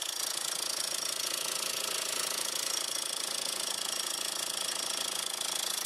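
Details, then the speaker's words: 2002 VW Jetta 1.8T at idle, shop blamed the turbo: even metallic rattle of about four per second; the turbo is quiet through a screwdriver stethoscope, and the noise is heard mostly at the front, suspected inside the timing cover. "I'm right there on the turbo and I got my screwdriver up against it against my ear and it's quiet and I heard most of the rattling coming from the front up here"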